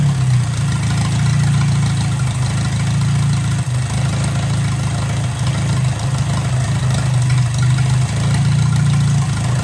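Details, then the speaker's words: 1957 Hercules flathead four-cylinder engine with magneto, just revived, running with no coolant in it and some steam from the radiator; even low steady idle with no misses, knocks or surging; runs pretty good, normal idle. "Okay, it runs pretty good. I don't want to run it too long."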